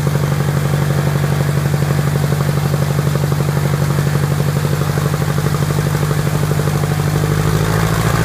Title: Piper Apache first start and run up after rebuild